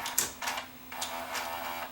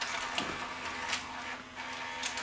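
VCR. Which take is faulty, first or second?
first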